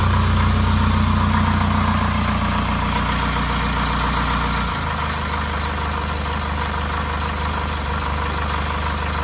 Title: Rough idle/smooth 800rpm